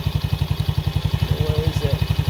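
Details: New 110cc four-stroke Chinese kids' quad from Amazon at its first start after assembly, on choke, with only fuel added: a small single thumping evenly about twelve times a second with no misses, a healthy idle.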